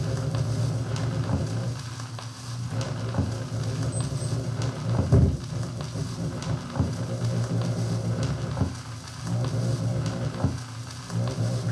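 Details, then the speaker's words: Thorens TD 165 belt-drive turntable found roadside; steady low hum with faint crackle, only with the needle down and varying with speed; motor pulsations carried through the belt into the platter and picked up by the stylus; motor vibration hum through pickup. "the noise is actually being transmitted from the motor and I can actually feel I it's like a stepper motor almost"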